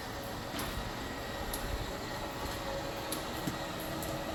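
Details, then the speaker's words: Schwintec RV slide-out retracting after being bound and seized: steady laboring motor drone with faint tone, slower than normal; slide system needs rebuild with new shoes, rollers and shims to unload V rollers. "It's definitely not at the speed normally a Schwintec would run. You can hear the motor definitely working itself to get where it needs to bring this slide out in."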